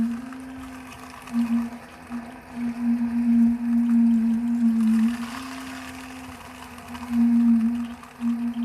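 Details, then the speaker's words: 2021 Alpine RV, Suburban IW60RL on-demand water heater, after the recirculation pump was replaced: a steady pump hum with uneven surging and gurgling swells. Trapped air is still working out of the lines. "Still working a little air out. You'll know because it'll stop making those noises."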